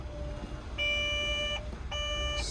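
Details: Develon DX140LC-5 excavator at low idle: two long steady high beeps about 0.8 s each; warning buzzer for AdBlue fault codes (tank level low, operator inducement), machine had been reading no AdBlue and going into limp mode.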